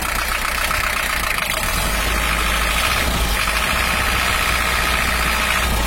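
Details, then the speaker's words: Toyota Hiace LH-11 diesel warming up after the injection pump bracket repair; oil pressure now normal at 5 bar. It idles with a harsh, uneven clatter and gritty hiss, and injection timing is still being adjusted. "suaranya Masih belum pas masih kita cari bisa cari dulu yang pas untuk suaranya"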